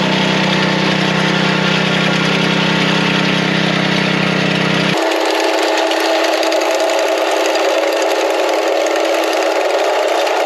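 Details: Small bed edger engine, with blade cutting soil: steady drone, no bogging or stalling; running healthy under cutting load.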